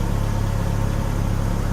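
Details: 2000 Chevy Cavalier after misfire repair: low steady idle hum with even pulse and no stumbles or skips, running noticeably smoother than before; normal idle.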